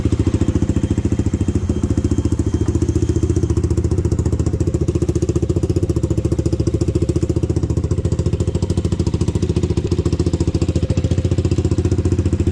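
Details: Honda 400EX four-stroke single, first start after rebuild and idle-screw adjustment: steady, even low idle thump with no knocking or valve-train noise, bottom end sounds okay. The owner says the carburetor still needs work.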